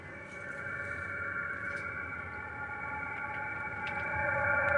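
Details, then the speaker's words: Lavaner Pro Max 2KW diesel heater installed under the passenger seat of a Sprinter van, first test run set to 16C and turned up to level eight: steady whirring builds as the fan spools up with combustion established. Normal start-up. "but it's spooling up and it's definitely burning diesel so now got some air flow"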